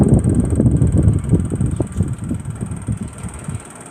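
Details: Samsung 1.5-ton 3-star inverter AC indoor blower: low throbbing rumble with an uneven knock about four times a second and a faint high whistle, the blower running rough; the blower sound problem was later fixed.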